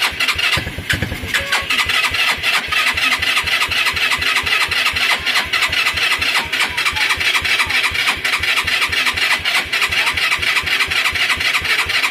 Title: rusi gala hard starting, solve!